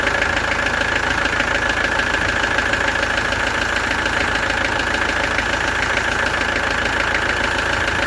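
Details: Peugeot XD3 diesel in a Peugeot 404 pickup idling after a slamming sound; timing chain tensioner was found 7mm out and reset at the jockey sprocket. Steady, even clatter with a faint high whine, no slamming; runs smoothly.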